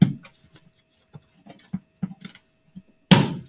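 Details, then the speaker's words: Power Force 1700 vacuum, bin trapdoor pressed shut after emptying: a few light taps, then one firm, crisp click as the bin latch engages and locks. "okay maybe not there it goes clicking sound once you hear that clicking sound you know it's secure and you can go forward"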